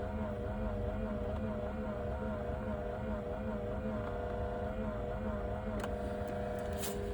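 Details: Pioneer NEX car radio, owned a couple of years, at startup: steady, slightly warbling high whine over low cabin hum; loud startup whining noise that is getting worse.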